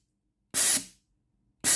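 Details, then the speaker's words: Philips GC9622 steam iron, test pipe connected: short steam hiss bursts about a second apart with silence between; valve not opening fully, steam comes out only intermittently, sticking solenoid valve. "It's like the coil valve inside is not fully open, causing water to come out sometimes."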